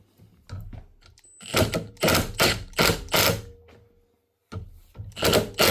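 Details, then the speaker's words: 2021 Milwaukee M18FID2 impact driver, test-run clamped in a vise, customer complaint of clicking; sharp hammering clatter with an uneven snagging click, caused by a tiny speck of grit on the gear teeth, fixed by strip and clean. "Customer says she's a bit clicky. Well, that doesn't sound right anyway. But she's working."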